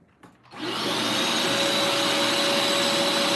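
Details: Bissell Lift-Off carpet shampooer with the diverter in the upright position: steady, even motor roar with a constant high whine, no surging or rattle. Spray still works and the upper tool has no suction, as designed.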